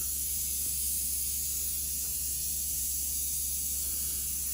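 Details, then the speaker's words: Old Athearn Jet 400 model train motor, rewound and remagnetized: steady high hiss and fine whir at constant speed, no rattles; top speed slightly lower with more torque, and it runs healthy. "The motor's maximum speed sounds like it's dropped just a little bit. And it's got more torque than before."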